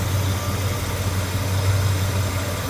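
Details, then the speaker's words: 1977 Mercury Cougar V8 after fuel pump replacement and a new hose to the fuel pressure regulator, 5 psi, no leaks, cold day: steady low even idle, earlier clacking gone, no misses or knocks; normal idle. "And then no more clack clack clack clack clack clack. I think it's fixed."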